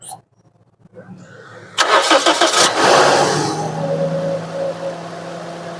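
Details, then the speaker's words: Car that missed and jerked from a head gasket leaking between two cylinders, after head facing and refitting: quick crank catches cleanly and settles to a smooth, stable idle with no missing or jerking and no warning lights. "माशाल्लाह अब आवाज़ भी प्यारा हो गया है, और गाड़ी में कोई मिसिंग, कोई जर्किंग भी नहीं है। बेहतरीन ज़बरदस्त साउंड आ रहा है गाड़ी का।"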